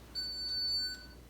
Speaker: you'll hear a beep and so the imu the inertial measurement unit senses when you want to change lanes and will output a beep if there's an object in the way so that the driver knows not to turn